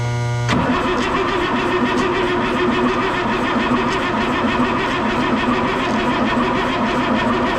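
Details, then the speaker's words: M35A2 military truck diesel cranking slowly in a labouring rhythm, about one compression beat a second, without catching while fuel delivery to the rail is checked; batteries getting tired and dragging the starter. "starting to get a little something mm-hmm our batteries are getting tired though we got two more over there if we need them"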